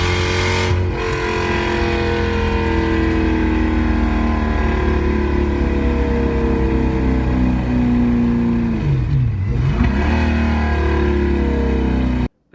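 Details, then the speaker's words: 1UZ V8 Toyota Soarer drift car with decat pipes acting as divided straight pipes: extremely loud, echoing, rough V8 burble revving with uneven popping gurgle. "but it was that close to the rear of where it was cut off that it basically did nothing, so it was basically divided pipes. Extremely loud and echoed under the car, but I mean, arguably sounded pretty horrible at times, gurgling."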